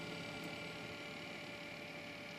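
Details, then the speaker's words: Newly built PC at startup: steady high-pitched whine over a low electrical hum from whiny case fans; Corsair 100 water-cooling pump rattle reported but not clearly heard. "here are the fans winding down now listen to it when it starts up pretty windy so you hear the whiny fans and the rattling corsail 100."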